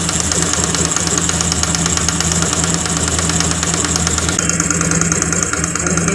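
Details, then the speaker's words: Honda Grazia BS4 scooter idling: busy, uneven idle with a fast ticking knock on every firing stroke. Timing chain was ruled out; the spark plug was found loose and leaking compression. "देख का रहे हैं पूरा तरह से पलक हमारा loss है पता नहीं कहां पर है दोस्तों खाली फंसा के छोड़ दिया है"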